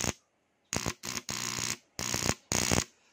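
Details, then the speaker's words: Motorcycle starter relay wiring demo: short bursts of harsh buzzing chatter each time start is pressed as the relay drops out; indicates a battery problem, possibly a flat battery. "Pag naririnig nyo yan, example, nakakabit sa inyong motor, tapos ganito yung tunog. Yan, ibig sabihin, may problema sa battery. Possible, lobat yung battery."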